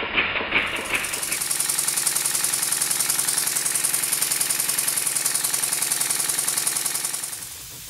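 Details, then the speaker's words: Model steam engine running on compressed air after steam chest and cover refitted with six new 4BA hex bolts and exhaust pipe extension added; quick, even chuffing about two and a half beats a second, steady; sound changes as a spanner covers a bench hole; normal running. "you can clearly hear how the sound changes as I cover the hole with the spanner"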